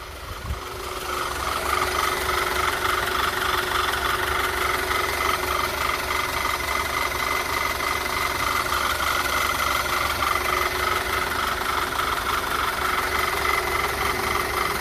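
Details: 2009 Audi A4 turbo after AMSOIL engine flush and oil change with 5W-40 synthetic: steady, even idle with a light mechanical hum, no ticking or knocking; engine runs healthy.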